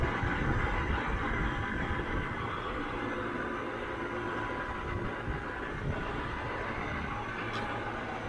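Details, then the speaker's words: Trane XB100 outdoor AC condenser unit at about 2 pm after panel fixes to cure a loud rattle: even fan rush over a low steady hum with only a tiny remaining rattle; running smoothly, much quieter. "it's still got a tiny rattle here but it's so much better so much better"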